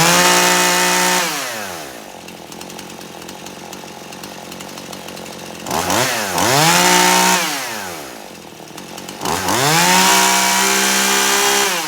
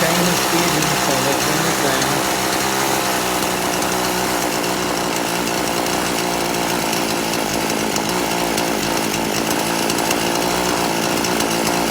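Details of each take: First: Poulan Pro chainsaw, warmed up hot after carburetor adjustment (screw turned in until it cleared out); crisp rev to a clean, steady high speed, then smooth drop to stable idle, repeated twice; carburetor tuned well. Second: Poulan Pro chainsaw, carburetor deliberately detuned, low-speed screw at 1.5 turns out: revs rise unevenly and stumble when throttled; low-speed mixture still too lean, needs turning out richer.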